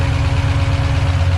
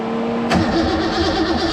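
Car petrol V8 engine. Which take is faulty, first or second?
first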